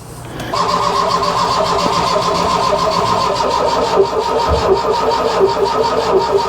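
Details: Mk1 Ford Fiesta Ghia 1.1 barn find, cranking on a TOPDON JS 2000 jump pack at a steady, even speed with no firing; spark plugs suspected rusted and due to come out.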